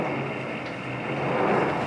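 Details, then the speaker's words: DIY geothermal greenhouse air system whose fan pushes air through about 75 ft of tubing, delivering steady air of about 50°. There is a steady, even airy rush with a soft low hum and no rattles or surging: normal fan operation. "we'll go check this out down here you can hear that little pulsing fan all the way through there about 75 ft of tubing through"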